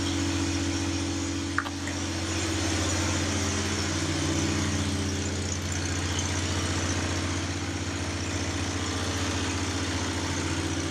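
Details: Onan generator in an MC9 bus RV conversion, around 55 degrees out: steady, even drone holding speed with no misses or knocks; running smoothly.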